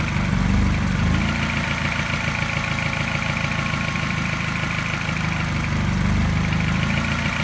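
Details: Mini N12 engine, not quite cold but not warm, at a fast idle after new cat and O2 sensors: faint regular tap that seems to coincide with a regular mild miss, almost pulsing; cause unclear.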